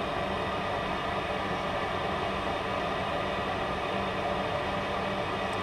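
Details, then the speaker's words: Burner startup with oxygen sensor removed: steady, even rushing of air at full fan speed, 100% air, no wobble or rattle; normal pre-ignition purge before glow plug and fuel. "Okay, now we have a purge, 100% air."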